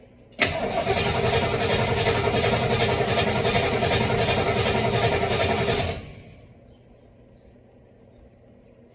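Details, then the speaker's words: 1973 Mustang after a 1G-to-3G alternator conversion, throttle pumped before cranking: starter turns the engine evenly at about 214 pulses a minute for five seconds but it never fires. Cranks great, strong battery, no start. "Okay, so the engine cranks over great. The battery is really kicking off some good amperage. But the engine isn't starting."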